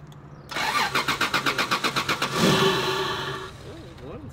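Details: 1993 Toyota Supra (2JZ engine), full tank: about two seconds of even cranking at roughly four beats a second, then it catches, stumbles briefly and dies; hard start. Faulty ground connection suspected.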